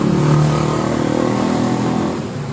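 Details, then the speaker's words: 2015 Honda Beat eSP whose electric starter only clicked (tek-tek) with 12 V at the battery. After parts at the magnet side were cleaned and refitted, it starts; the engine note is smooth and even, easing down gently with no knocks: running normally. "jadi seperti ini motor hidup dengan normal"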